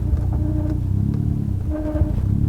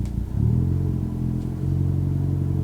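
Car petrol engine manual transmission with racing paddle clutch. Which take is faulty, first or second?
first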